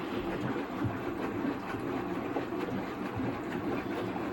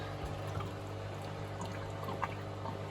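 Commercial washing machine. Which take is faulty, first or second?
second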